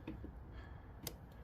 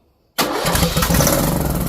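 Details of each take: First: Craftsman T1600 mower with stale-smelling fuel being diagnosed: in a quiet spot, a single crisp click as the key is switched and the fuel shutoff solenoid plunger moves. Solenoid working normally. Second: Briggs & Stratton 19.5 hp engine on a weathered Craftsman T1600 mower catches on starter fluid, roars rough about three seconds, then dies; spark and compression good, fuel not being delivered.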